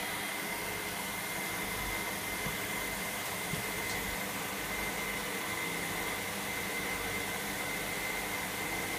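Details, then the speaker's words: Electra AWF683 washing machine on Boilwash 95 with prewash, washing towels: steady rushing hiss of fast water fill with a faint thin whine and the drum tumbling evenly; normal wash start. "good tumbling action this one. Yeah. God, it fills up quick. Yeah, it does."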